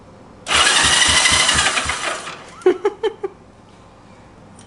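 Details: 1965 Honda CB77 Super Hawk that sat about 20 years, with an electric-start problem reported twenty years ago, being tested: a steady, fast whirring crank for about two seconds, then a few sharp snaps. The starter spins the engine normally.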